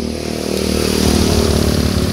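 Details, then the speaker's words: Honda Vario 150 scooter that wouldn't crank, with the starter circuit jumpered at the switch, fault traced to the switch wiring rather than the button, cables or starter relay: fires straight away and builds to a brisk, even putter; starts and runs fine. "Kita hidupkan kunci kontak. Oke, motor hidup. Kita tes sekali lagi."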